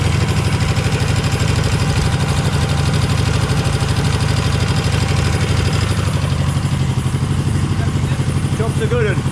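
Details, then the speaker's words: Dnepr motorcycle twin after resealing cylinder bases and pushrod tubes, left carb suspected for starting issue: lumpy uneven beat about three pulses a second, sounding like it runs on one cylinder. "sounds like one cylinder stands doesn't it so sometimes it feels a bit funny"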